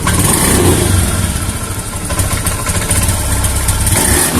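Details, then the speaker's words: Honda Beat FI scooter with new injector, idles normally but when the throttle is snapped open the revs stumble and sag; fuel pump regulator is new but pressure is weak. "Nah kalau untuk hidup hidup normal ya cuman kalau gas kita bejek secara spontan nanti dia ee kerasa ya tuh tuh kosong"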